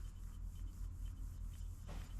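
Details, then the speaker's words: Wheel hub spun by hand during suspension check: only a soft rub over low room hum and it stops quickly, a healthy, quiet wheel bearing. "you hear nothing. And notice how it stops pretty quick. So that is a good bearing."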